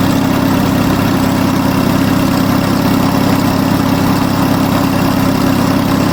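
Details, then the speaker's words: Onan US military generator engine, warming up, holds a steady even drone around its governed 1800 rpm after governor adjustment; earlier it probably ran slow and hunted, now smooth with no surging. "This is meant to run at 1800 RPM, by the way. That sounds like about 1800 to me."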